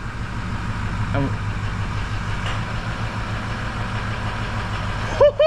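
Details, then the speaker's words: Ford Powerstroke diesel just reassembled after turbo and injector work, first start: steady, even idle with a smooth low rumble and no misses or knocks; normal idle, may run slightly rough while oil circulates. "holy where that that listen to that oh it sounds so much better"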